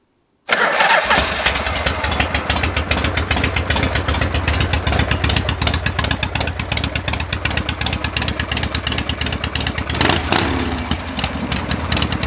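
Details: Shovelhead V-twin with dual-plug heads, just fitted with Raj spark plug terminals, starting on a 73°F day: brief crank, quick catch, then an even, loping twin idle and a clean throttle blip, a healthy start and idle.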